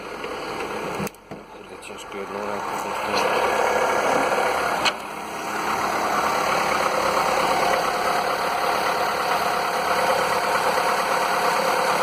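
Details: Skoda (probably Fabia) 1.4 16V BKY after piston replacement for piston slap (was worse warm), morning start: after handling noise, even smooth idle with no tapping or slapping; repaired.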